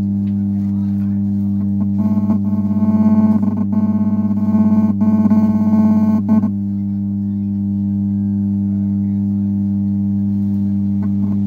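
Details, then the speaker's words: 44/40 IC amplifier board with a steady low mains hum under the music that stays when the music stops; caused by a failed small capacitor, fixed by replacing it. "दोस्तों नमस्कार आप लोगों ने देख ही लिए कि इसमें हमी की आवाज आ रही है"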